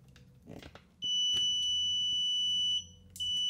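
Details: Electric water heater thermostat taken apart: with meter leads on the terminals set to continuity and the button pressed to simulate the snap disc, a steady high beep for nearly two seconds, a short gap, then again: contacts closed.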